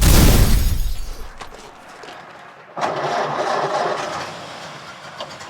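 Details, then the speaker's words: Restored 1929 Ford Model A four-cylinder with its original drivetrain, in neutral with timing advanced a little: cranks and catches, then settles into a soft, even, sewing-machine patter with no knocks; healthy start. "Advance the timing a little bit listen that like a sewing machine just like a tractor might not be fast but it'll pull your house down"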